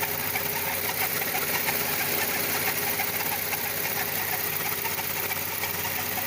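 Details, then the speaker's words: VW Gol G6 at idle: fast light ticking about three per second over the engine, started after the timing belt was replaced; owner suspects the belt pulley, not confirmed. "De longe dá para ouvir aí o barulho. E esse barulho que deu aí quando eu troquei a correia dentada aí. Troquei a correia dentada, começou a dar esse barulho aí."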